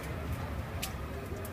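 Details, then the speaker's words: Alliance IPSO stack dryer after replacing worn rollers/bearings that were rubbing: drum spun by hand gives a smooth even low rumble with no scraping or rubbing, rolling clean and straight with a little play. "rolls nice and clean and straight it's got a little bit of play to move it"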